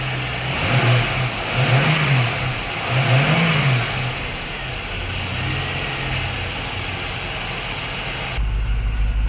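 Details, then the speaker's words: Junkyard 2004 Chevy Lumina SS 5.7 LS1 V8 after a fuel pump swap (it had low fuel pressure): throttle blips rise and fall smoothly with no misses or rattles, with smooth exhaust and engine. "see how the exhust sound very smooth engine is smooth and every thing is fin"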